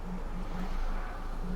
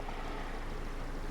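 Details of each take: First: 2002 Ford Focus 1.4 petrol running really badly with P0304 cylinder 4 misfire and P0420 catalyst efficiency codes: rough uneven idle with irregular stumbles about every half second; misfire. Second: 2002 Ford Focus 1.4 petrol after repair of the cylinder 4 misfire (P0304, P0420 catalyst codes), codes being erased: steady, even low idle hum with no stumbles; sounds a million times better.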